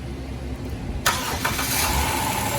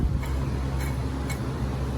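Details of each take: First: Dodge Grand Caravan after water pump replacement, started with the coolant cap off for bleeding. A quiet hiss, then it cranks, catches and settles into a smooth idle with no squeal or knock. The old leaking pump's failed bearing had caused the belt squeal. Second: Removed water pump from a Dodge Grand Caravan, spun by hand near the microphone: faint dry ticks, about two a second, over a low hum from the failed bearing. The pump was also leaking across the belt, causing squeal and overheating; it was replaced.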